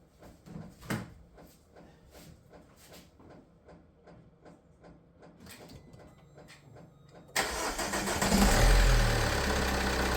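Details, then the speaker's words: Opel Insignia (Fiat engine) with hard-starting complaint, first start after reassembly: slow even cranking about seven seconds, then catches and settles into steady idle; starts, though a belt or pulley squeal is noted. "Jak widać odpala. No nie jest idealnie, ale jest nieboa ziemia."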